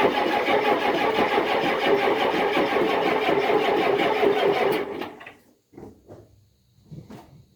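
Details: Cold diesel in below-zero weather, battery on charger after a power-bar outage killed the draw: steady even cranking about three turns a second for five seconds never catches; cold no-start.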